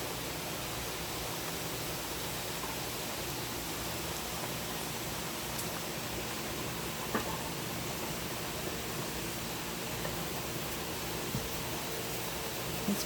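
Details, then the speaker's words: Pressure canner processing carrots during heat-up before the piece pops up: quiet, constant hiss with no pulsing or rattle; normal steady steam venting as pressure builds toward ten pounds. "I was gonna say if we go watch it it's getting a steady stream of steam coming out of it"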